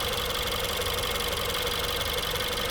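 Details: 2016 Ford 1.6L EcoBoost GDI, back with a comeback misfire: even idle with steady light injector ticking, no stumble or skip; power balance test looks great.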